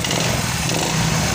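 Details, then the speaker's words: Yamaha Fino scooter after splicing repaired charging-coil wiring and replacing the spark plug (had 46-blink indicator fault, wouldn't start, weak spark): fast, even little buzz at idle, steady with no stumbles or misfires; normal idle. "ini sudah hidup kita hidupkan teman-temannya untuk hasilnya oke teman-teman kira-kira seperti ini teman-teman ya untuk hasil dari penyambungan kabel kita yang tadi teman-teman ya"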